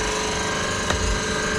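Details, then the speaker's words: B18 Honda Civic, engine off, boost control solenoid triggered from S300 by setting the MAP sensor to 7 bar: rapid, steady buzzing clicks; solenoid operates normally and modulates air out of both ports. "but if I upload this it should kick on the boost control solenoid, which"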